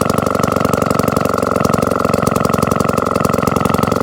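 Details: Restored 1954 kick-start Atco Midget lawnmower with Villiers two-stroke, stored for years: quick even crackle of firing at steady speed, no misses or knocks; runs cleanly.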